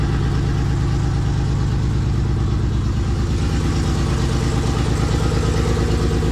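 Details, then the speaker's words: Nissan RB straight-six rebuilt engine, first start: lumpy, loping idle at about three pulses a second; running on five cylinders, cylinder five not firing found by pulling injector plugs. "So, I don't know if you can hear it, but it's actually only running on five cylinders."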